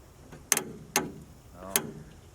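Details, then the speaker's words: Ford Maverick sat 26 years, trying to start: three sharp starter solenoid clicks about a second apart, no cranking; starter or solenoid suspected, bad battery cable considered unlikely. "our starter solenoid is making a fairly loud click every time you try to turn it over it could be a bad battery cable but I don't think that's the case"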